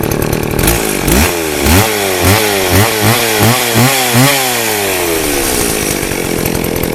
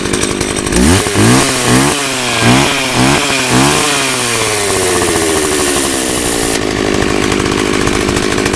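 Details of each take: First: 24-inch two-stroke chainsaw run on fresh fuel mix with stabilizer after old gas: blipped up and down then settles, revving cleanly and evenly without bogging, smoking less; running normally. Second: 24-inch two-stroke chainsaw with old fuel, started using starting fluid: blipped in uneven bursts, then settles into a ragged, wavering high idle; rough running on stale fuel.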